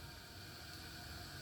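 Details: Glacier Bay dual flush toilet with a new Fluidmaster 400AH fill valve, refilling after a flush: a steady, soft hiss with no whistle or chatter, quieter than before. Normal refill.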